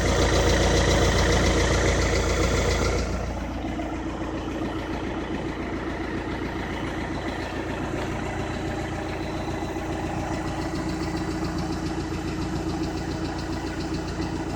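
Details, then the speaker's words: 2013 VW Passat TDI, CKRA diesel, 9,500 miles, at idle: faint, quick, very slight ticking. It is judged to be lifter tick, though this is not confirmed. "very slight tick. Car has 9,500 miles."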